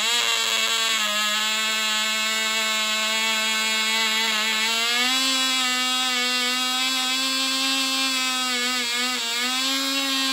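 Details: Cox .020 Tee Dee nitro glow model engine on thrust test stand: piercing, steady high whine around two hundred cycles, climbing slightly as it leans out; about six ounces thrust, runs great; normal running.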